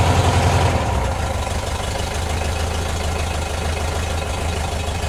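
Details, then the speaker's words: 1972 VW Bus air-cooled four-cylinder, cold start after tune-up and fresh oil fill: steady low beat, smooth and even after the first second, settling into a clean cold idle with no stumble while oil circulates. "sounds good it's running smooth I know it just oil circulate a bit"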